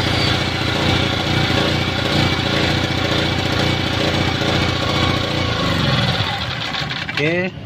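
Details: Small generator that was hard to start runs at a steady even speed, tone briefly shifting near the end, after replacing carburettor and spark plug; now running normally.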